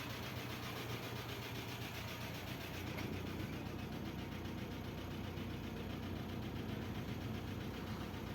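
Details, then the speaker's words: 2005 Chevrolet Corsa, oil pressure warning light on, preventive maintenance neglected: steady idle with a dull irregular knocking through the block; worn bottom end starved of oil pressure. "aí pessoal ó saca só essa luzinha no painel acesa luz de óo bebê quem não faz manutenção preventiva vai ter que fazer corretiva ó o tanto que esse motor tá"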